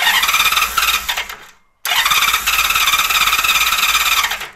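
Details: 1999 Honda Valkyrie Interstate, not run in years, fuel shut off, running only on float-bowl fuel: two bursts of fast, rough cranking with an uneven chuffing beat that almost catches, then cuts off; carburettors need work, possible flooding suspected.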